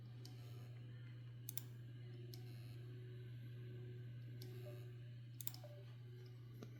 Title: drive not working clicking sound 12tb